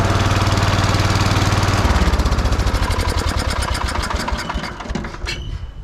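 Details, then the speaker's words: 14 horsepower Kohler single-cylinder engine on hydrostatic-drive lawn tractor with new battery and redone voltage regulator: catches quickly and settles into steady, even chug around 160 beats a minute; starts clean and runs well. "Runs quite well."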